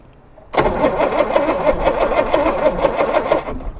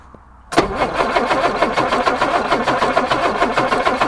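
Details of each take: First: 1962 Jaguar Mk10, positive earth, sitting 15 years: starter spins engine over at an even brisk rhythm about three seconds, no grinding or jamming, correct rotation, after earlier smoke puff from cylinder head; normal cranking. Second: 1962 Jaguar Mk10, sitting 15 years, fuel pumps on: steady starter cranking at about five strokes a second for six seconds without a single catch; no start, fuel pouring from carburettor overflows, flooded carburettors.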